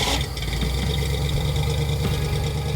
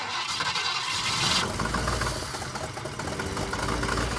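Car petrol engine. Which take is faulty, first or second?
second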